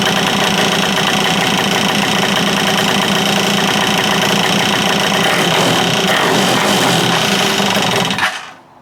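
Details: Free stand-up jet ski two-stroke, fresh fuel with stabilizer, choked, something detached reattached: loud, ragged running with an uneven stumbling beat for eight seconds before shutoff; rough running, judged good enough for the lake.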